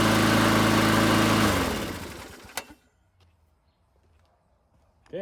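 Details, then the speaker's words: Yard Machines (MTD) 22-inch high-wheel push mower, 4 HP Briggs & Stratton Quattro, test fired with new control cable: single-cylinder runs evenly about a second and a half, then winds down and stops when the control is released; works good. "okay got the cover back on and we'll test fire it with the new control cable"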